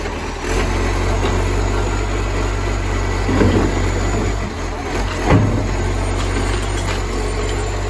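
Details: Moreland garbage truck #FN11487, a spare 22m flat-faced Acco-cab diesel with a massive exhaust leak, recorded from the exhaust side at idle: loud, steady, deep roar with a raspy edge, far louder than normal.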